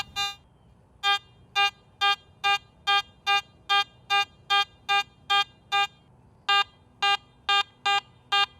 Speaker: If you are operating in the true all metal mode on the at Max you will hear all Targets as a proportional medium